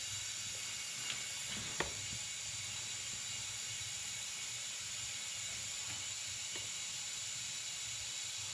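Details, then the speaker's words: Boost leak test on a turbo engine with a boost leak tester pressurising the intake: constant high airy hiss with faint clicks; the system is not holding any boost, a huge leak. "now I'm just kind of feeling the boot to see how how hard they're getting and this thing's not holding any boost it's got a huge leak"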